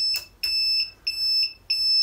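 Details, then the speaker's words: Suzuki RV90 VanVan after renovation, turn signals on: steady high-pitched electronic beeps about every 0.6 s, like a reversing garbage truck, a beeper rather than a click-clack; turn signal beeper working normally. "Bon alors d'accord, ça fait un peu camion poubelle qui recule. Mais au moins on entend les clignotants. J'ai pas bien lu sur la description que c'était un bip et non pas un clic-clac."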